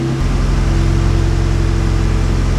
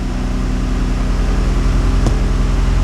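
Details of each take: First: Toyota MR2 with swapped 2GR-FE engine and Rav4 fuse box, after wiring cleanup; steady even idle around 1300 rpm, too high, charging 13.8 V; owner suspects wrong park/neutral pin wiring, unconfirmed. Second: 2GR-FE V6 swapped into an MR2 (factory Rav4 fuse box), still cold at 127°F, idling high around 1290–1300 rpm after wiring cleanup, 13.8 V charging; smooth, even idle with steady beat, no misses, ticks or knocks: normal idle while warming up.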